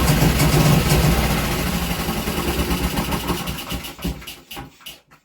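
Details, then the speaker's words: Small Villiers single-cylinder engine running loose on the workshop floor, not bolted down: thumping about three beats a second, even and steady while it chatters on the floor, then dying away; runs well. "wow there we go she runs and she seems to run very well if I sounded a bit naughty it's because it was chattering and bouncing around on the on the workshop floor"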